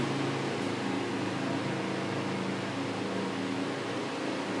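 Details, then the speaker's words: 12V solar DC table fan running on its AC adapter, oscillating left and right at fast speed: a smooth, even airy hum and steady drone; a loosely fitted front cap wobbles and adds slight noise; normal running with oscillation. "So இப்போ வந்து பார்த்தீங்கன்னா fan வந்து left ரைட்டுன்னு சொல்லிட்டு moving ஆகி ஓடிக்கின்னு இருக்குது. So இதுவுமே வந்து பார்த்திங்கன்னா நல்லா வந்து ஃபங்க்ஷன் ஆகுது."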